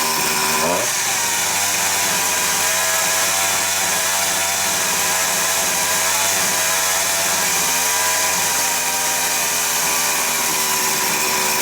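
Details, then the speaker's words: Husqvarna 353 chainsaw after carburetor replacement, running at low idle: high two-stroke buzz steps up in revs then holds a steady faster idle as the white idle screw is turned in slightly to lean the mixture. "so all I'm going to do is screw that in slightly to lean the mixture out and it should raise the revs a bit"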